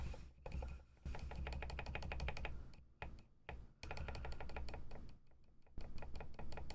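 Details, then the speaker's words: Ducky One 2 Mini keyboard with silent switches being relubed: rapid keypresses each give a sharp, dry tick where the switch should sound muffled. Owner suspects more lube is still needed. "Nope. Still getting that ticking sound like you can hear it. So, we do need more lube in there."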